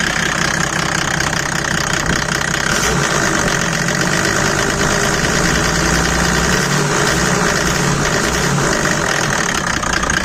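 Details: Mercedes W124 OM606 diesel, straight-through exhaust, ice-cold first start of the day, revved with the bonnet open: loud, uneven knocking over the clatter. The owner feared rod knock or the torque converter; the turbo exhaust manifold pipe is cracked.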